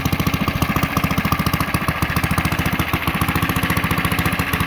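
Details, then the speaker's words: Coleman CT100U mini bike engine running on the governor: crisp, regular single-cylinder popping at steady governed speed, no misses or stumbles; normal running. "This time around, we're going to leave the zip tie and run it with the governor. Here's what it sounds like."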